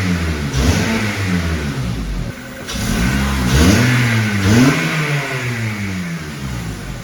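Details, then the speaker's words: 2005 Acura RSX base automatic, K20A3, warm, after fitting Flashark race header on factory exhaust: revs blip up and back to idle with a sharp puffing rasp; exhaust still leaking up front at the donut gasket, not the manifold gasket. "It did make the exhaust, even though it's a factory exhaust, it did make it a little bit louder, but it is still leaking up front, but it's not from the manifold gasket, it's actually from the donut."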